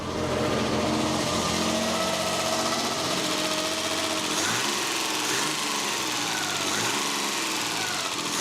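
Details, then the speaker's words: 1979 BMW E12 520 barn find, after sitting 30 years, warming up to temperature after the smoke settled: smooth, even idle with a steady pitch, no misses or knocks. Normal idle. "bit sounds sweet so now that the smoke has settled it's time to come up with a bit of a plan to try and get this thing driving for the first time"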